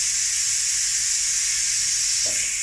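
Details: Ninja pressure cooker, release valve turned fully right, letting all pressure off: steady, loud high-pitched steam hiss with no change in tone. Normal pressure release.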